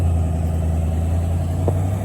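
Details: Box Chevy: low, heavy idle with a slightly uneven throb; owner says it needs a tune.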